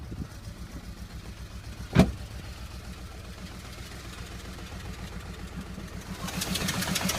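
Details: Audi A3 with a rough, uneven pulsing idle, a sharp pop early and then a rev rise; the stumbling beat sounds like a misfire, persisting after the coil pack was changed and with compression confirmed.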